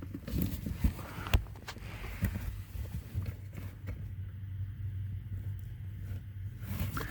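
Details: 2003 Honda Pilot dashboard: sharp irregular clicks over low engine hum with temperature set between max cold and max hot, only extremes working; blend door actuator binding, fixed by cleaning and dielectric grease.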